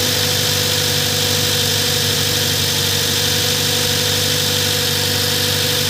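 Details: Toyota idling after a no-crank, no-start fault was fixed: steady, even idle with a constant hum, no misses, knocks or squeals; running normally.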